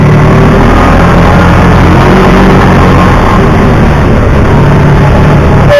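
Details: 2009 Kawasaki Teryx 750 fuel-injected, after fix for warm backfiring and power loss (nail inserted in center section): steady, even engine note, no popping, backfire or stumble, pulling smoothly — runs perfect.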